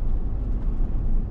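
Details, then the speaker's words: Chevy Tahoe on the road at about 35 slowing down, after front differential rebuild and two new Moog front hubs: only a smooth low road rumble, no growl or hum rising with speed; the hubs sound healthy. "the hub's I thought they were good turns out they weren't so two hubs differential rebuilt on the front everything sounds great"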